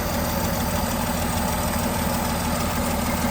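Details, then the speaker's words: Dodge D5N truck, 245 Hemi, just revived after sitting 5 years, good oil pressure: light quick ticking over steady idle at the front of the engine, tappets dry from sitting; valve tappet tick. "It's a little bit tappy at the front because everything's a bit dry still."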